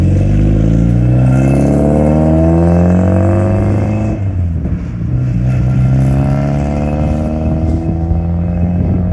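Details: 1992 Saab 900 naturally aspirated 2.1 after new welded exhaust replaced the leaking old one: smooth even revs climbing and settling, clean exhaust note, no rattles or leaks; any startup rattle was an unadjusted exhaust hanger, since fixed.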